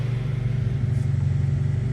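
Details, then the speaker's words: Honda CR-V with an ongoing misfire, throttle cable adjusted so it keeps running: steady low rumble at about 1,500 rpm with a quick pulse and audible misfire, nearly stalling; vacuum leak suspected. "It is idling kind of high right now. Uh, you can probably hear it misfiring."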